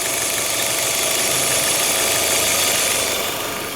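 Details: Peugeot/Citroën EW10 engine, warning light on with catalyst and lambda faults: loud steady hiss over a rough, uneven idle from air sucked past a torn PCV valve membrane in the valve cover.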